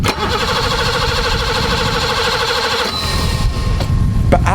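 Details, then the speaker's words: Barn-find BMW E24 635CSI with a new battery, fresh fuel, a new main relay and the fuel relay bypassed, fuel pump priming: steady starter cranking for about three seconds with no catch, due to no spark from the ignition coil, blamed on a failed ECU. "nothing and the reason we're not getting anything is because we now have no spark now on this car the spark comes from an ignition coil"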